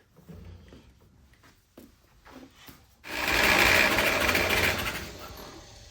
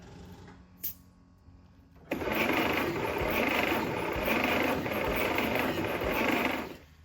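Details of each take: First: 1946 Willys CJ2a four-cylinder after 40+ years sitting, compression test: brisk, even cranking at three to four beats a second with no weak strokes. Cylinder 1 is about 95 psi and cylinder 2 about the same; compression is even and good. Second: 1946 Willys CJ2a four-cylinder after 40+ years sitting, dry compression test being cranked: about five seconds of quick, even churning with no firing. Readings of only about 30–50 psi per cylinder; low compression.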